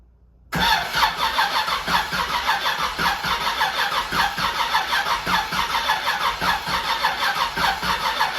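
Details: Chevrolet Camaro Z28 V8 on its first start after reassembly, fed fresh 93-octane from a small temporary tank. It catches after cranking and settles into a lumpy, uneven idle with irregular chuffs. It runs rough and still needs carb tuning and timing adjustment.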